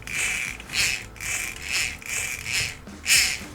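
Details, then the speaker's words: Over-20-year-old Beko washing machine motor turned by hand after brushes refitted and slightly shifted: crisp crackling bursts about every 0.6 s, louder than usual, expected to quieten as brushes bed in; normal brush crackle. "Справа в тому що щітки завжди трошки потріскують але зараз ми їх трошечки змістили Тобто ми їх знімали поставили на місце але вони десь трошечки змістилися і тепер це потріскування стало гучніше"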